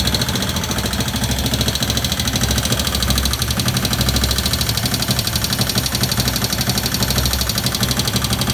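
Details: 1971 Honda CB/CL350 twin at idle: sharp, fairly loose ticking over the exhaust beat from the top end, cause unknown. Owner also suspects a sticking throttle.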